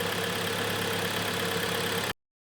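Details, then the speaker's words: 2012 Kia Sportage G4KD, manual, AWD, 176,000 km, after block sleeving and piston repair for scuffing and knocking: even, steady, quiet idle with no knocking or ticking, some vapour off the handled exhaust manifold; normal idle. "Работает ровненько, работает тихо, испаряет то, что собрали выпускной коллектор руками."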